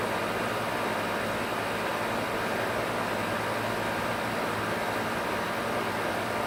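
A constant harsh rasping roar with no rhythm, steady throughout under the fan; a grinding compressor, cause not yet known.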